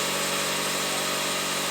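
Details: VW Polo 6N2 1.0 MPI idling at first test run after timing belt and water pump replacement and coolant refill: steady even hum with no knocks, ticks or hunting; running perfectly.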